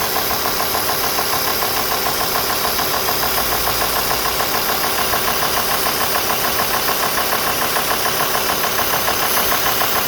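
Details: Alfa Romeo 2.4 JTDm diesel idling warm at 90°C water temperature, with an even knock about twice a second over the clatter; the knock appears once hot, source unclear.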